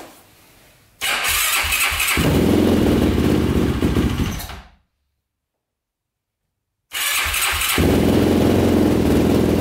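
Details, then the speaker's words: 2005 Yamaha YFZ450 big-bore single, first start after rebuild: cranks and catches, runs rough and uneven, dies, then restarts shakily; pipe glows red, coolant boils over, owner suspects running very lean. Cause unclear. "yeah baby sounds like it's gonna die let's see"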